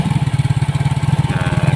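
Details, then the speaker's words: Yamaha Mio J scooter with a D03 IAPS error, now running after the throttle-opening angle was checked (too high on a local part; original 16–20): a fast, even putter at idle with no stumbles, intake pressure about 48–50. "Nah jadi motor ini sudah hidup kawan ya tidak seperti tadi tuh"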